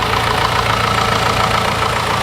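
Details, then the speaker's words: Petrol engine with direct injection (homogeneous mixture) idling with even, fast ticking clatter; owners often think it sounds too loud or diesel-like, but this is normal injector and engine noise. "очень часто люди спрашивают что почему мой мотор работает так громко именно бензиновый мотор и когда я смотрю и слушаю эти ролики я не вижу ничего кроме ну скажем так нормальной работы мотора"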